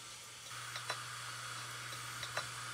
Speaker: This is what it looks like when you have basically the logic's gone, and that is what is happening when you hear that telltale noise.